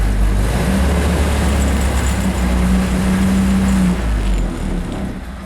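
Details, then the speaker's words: 1931 Ford Model A four-cylinder, just restarted after a shorted headlight wire blew the fuse: uneven, lumpy idle with stumbling beat and wavering drone; running rough, dirty distributor cap and points suspected. "yeah this is probably why it runs bad"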